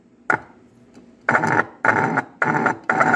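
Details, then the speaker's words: Fordson Major E27N tractor's vibrator horn whose tone/vibration adjustment screw moved when locked down: short, uneven buzzy honks with a rough, rasping edge, horn knocked out of adjustment. "No, see, it moved when I tightened it."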